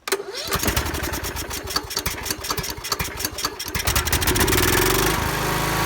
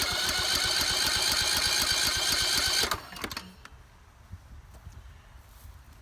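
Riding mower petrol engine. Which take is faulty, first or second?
second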